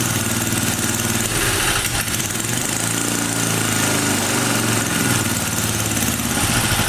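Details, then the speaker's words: 1980 power tiller with Briggs and Stratton engine, after cover reassembly: uneven, hunting, popping note on choke, pitch wandering; owner tries less choke, suspects too-tight spring or jammed flap; soon runs stuck at full throttle. "maybe sounds like it it's popping maybe a bit less choke come on you almost had it"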